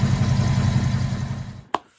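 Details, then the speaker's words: 1968 Ford Fairlane/Torino fastback 289 V8 idling after replacing the exhaust manifold donut gasket to fix an exhaust leak: deep, steady rumble with no ticking or puffing; normal sealed exhaust. "that took care of the problem like i was hoping it would so now it sounds good again"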